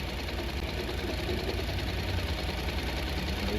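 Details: Honda NC700X/NC750X parallel twin after valve adjustment and coolant refill, running until the fan comes on (about 10 minutes): smooth even low idle with steady beat, no ticks or knocks, running clean and healthy.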